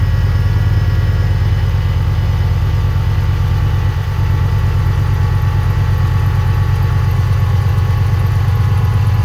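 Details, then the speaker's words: 2006-09 Chevrolet Impala SS, LS4 V8, just started after replacing the old Denso alternator and reconnecting the battery: steady, even idle with a smooth low rumble, no knocks, ticks or whine; normal idle. "We'll go ahead and reconnect our battery here, and we'll fire it up, and we'll get a readout on it, see if it's charging."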